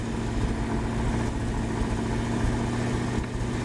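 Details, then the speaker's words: Woodgas-fuelled truck on a cold start with no gasoline, damp wood and a weak char bed: as the gas improves the idle rises and smooths into a low, even beat with no stumbles. Normal idle. "you can hear as the gas starts to improve the idle is coming up and also the uh it's running a little smoother"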